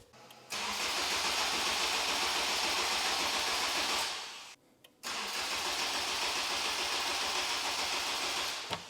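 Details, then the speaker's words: Starter churns about four times a second in two long bursts but the engine never fires. Haltech ECU loses power while cranking because its 12 V trigger drops out and needs constant 12 V; voltmeter shows over 10 V. Starter weak with a small cable. "The problem right now is the Haltech is losing power as I crank it. So instead of having a 12 volt trigger that turns off when you crank it, it needs to be a true actual constant 12 volt even when we're cranking."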